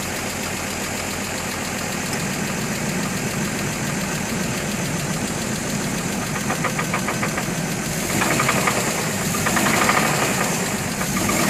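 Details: 2003 GMC Envoy petrol engine idling with steady, rapid knocking tap; compression 180 psi all cylinders except #3 at 150 psi, new plugs, throttle body cleaned; cause not determined; engine knock at idle.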